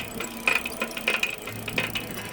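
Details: Grinding, popping rear hub noise on a TK1 Pro Mooncool e-trike bought May 2025, starting after about 40 miles: irregular sharp pops and dry scraping clicks from the turning wheel; fixed by removing the tire, tightening and lubricating.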